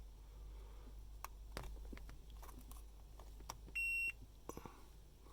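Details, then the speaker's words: 2005 Hummer H2 steering-wheel horn switch tested with a multimeter continuity beeper: pressing the horn bar gives one clean steady high beep, so the top contact closes properly. Switch contacts are ruled out as the cause of the faulty horn. "If I push this bar in, you can hear that it makes contact top."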